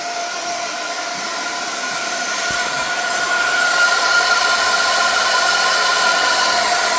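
A loud, steady rushing hiss builds over a few seconds and holds with a faint whistle; steam is escaping somewhere, source not yet found.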